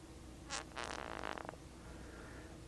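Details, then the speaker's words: Traxxas T-Maxx 2.5 shock found very low on fluid, shaft pushed up during teardown: short wet hiss then rapid gurgling squelch as the piston sucks air down into the oil. "that piston sucking air down into the oil this is what I was talking about in the last video where we rebuilt shocks that you don't want to do when you're putting them back together"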